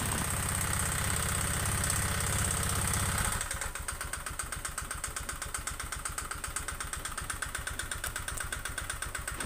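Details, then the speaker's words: Honda Vario 125 FI scooter before service: rough idle with hard, rapid ticking about four per second over the engine beat and white exhaust smoke; worn, scored piston from late oil changes and dirty throttle body. "nah keluar beluk atau asap putih pada ujung knalpot suara kasar pada mesin diiringi dengan keluarnya asap putih mungkin dikiranya dari bagian CVT"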